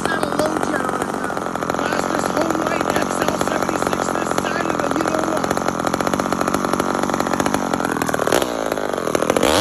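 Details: Homelite chainsaw with a stock chain idles cleanly with a steady, buzzy two-stroke drone at an even pitch, without surging or stumbling.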